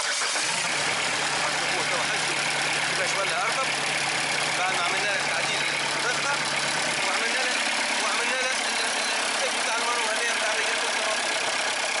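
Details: Diesel engine that ran loud and rough, after adjusting the idle regulator and its manual cable: it settles into an even, steady idle under a lot of hiss with no stumbling or knock. Normal diesel idle.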